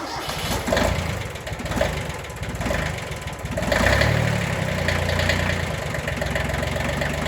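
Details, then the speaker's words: Kubota B6100 diesel tractor after clutch pilot bushing replacement: it cranks, catches in about four seconds and settles to a smooth, even idle. The earlier in-gear noise is gone. "Okay. Oh, yeah. No issues."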